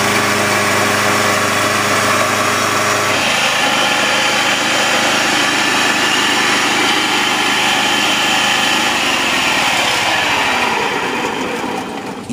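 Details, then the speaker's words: 1980s (circa 1983) Honda HR194 PX lawnmower started on choke: a high, steady, ear-splitting shrieking squeal rides over the fast-running engine when the blade is not engaged; owner suspects the blade clutch needs replacing, unconfirmed. "but the screeching sound it makes is just your ear splitting I mean and I'm not over exaggerating or anything that that sound is you're splitting so we just think that's the blade clutch that can be fixed if we just replace it"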